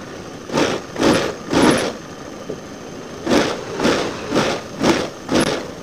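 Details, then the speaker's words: Old Honda Scoopy FI scooter on centre stand, throttle body before service, idle screw being adjusted: engine surging in repeated bursts about twice a second, never settling to low idle; throttle body air leak, dirty with broken O-ring. "Ternyata bagian langsamnya ini nggak mau turun ya, gede terus. Ini kalau nggak standar 2 pasti bakalan jalan, tanpa digas pun bakalan jalan."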